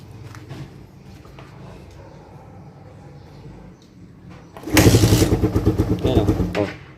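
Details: Suzuki Raider 150 carb motorcycle with a hard-starting problem: a long quiet stretch, then the engine catches unevenly and sputters at about three pulses a second before dying.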